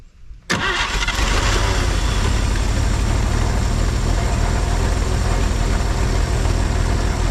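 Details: 1950 Chevrolet Styleline parked 7-9 years, running on a separate fuel tank, carb base O-ring looking bad, radiator water unknown: after a brief crank it catches and settles into a steady, even idle, deep exhaust note, no knocks; normal running.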